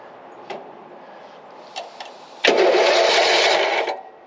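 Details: Newly bought mower engine for a go-kart project, chilly day, fuel turned on, choke, neutral, a little throttle: a few weak pulls, catches and runs roughly about 1.5 seconds then dies; fuel smell, possibly flooded.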